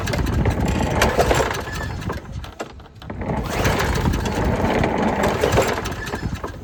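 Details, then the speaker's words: Craftsman push mower that sat 2.5 years, with a cleaned carburetor, fresh gas, new air filter, new spark plug and new carb gasket: repeated pull-cord strokes with pauses, it turns over but never fires, owner suspects no spark. "I wonder if we even have spark. I didn't check for that. Let me check for that real quick. We may not have spark. I don't think we have spark."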